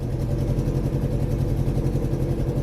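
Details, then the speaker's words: Vauxhall Vectra after replacing the exhaust flexi section: steady idle with a fast, breathy puffing chuff on every firing pulse; exhaust blowing badly at the new flexi joint. "Let's go and see where it's leaking from. Right, we must be quick before we die. Oh yeah, it's blowing really badly there."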